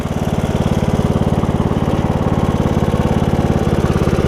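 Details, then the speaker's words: Briggs and Stratton single-cylinder riding mower engine after a HiPA carburetor replacement, run to burn off fuel in the muffler from the old leaking carb: even, steady thumping at fast idle with no misses, surges or hunting; normal running. "Alright guys, it's running good, which is nice."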